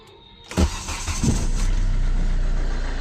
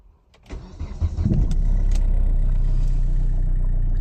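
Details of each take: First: Hyundai Verna 2010 1.5 CRDi U1 diesel, old car, before Liqui Moly Diesel Purge treatment: starter cranks briefly, then loud clattery idle with steady low knock rhythm; noise increased with age, cause unclear. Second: Hyundai Verna 2010 1.5 CRDi U1 diesel after a tank dose of Liqui Moly Diesel Purge: quick start, then an even, steady diesel idle with no knocks or misfires, softer and quieter than the harsh idle before treatment.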